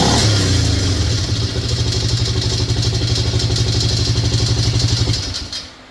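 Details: Yamaha Grizzly 600 single-cylinder ATV engine revving with a rapid clattering rattle over the exhaust, about four beats a second; engine previously opened by someone else, source of internal noise unclear, owner asking what it is.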